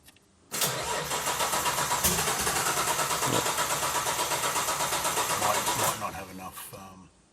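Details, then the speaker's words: Nissan RB26 GT-R engine swapped into a Datsun 240Z, first start attempt with no exhaust after oil pressure confirmed: starter churns evenly about five seconds without firing; cranks but won't start, throttle control mapping suspected. "let's see if it goes let's hit it no go"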